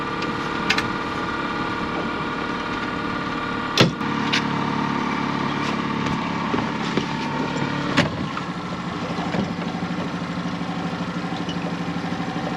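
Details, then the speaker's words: Outboard on Hood 23 sailboat motoring slowly out of the berth after repair; steady, even drone with no misses or surging; running normally, much better than before. "Much better. And you can see how that was so important that the motor was doing what it's meant to do"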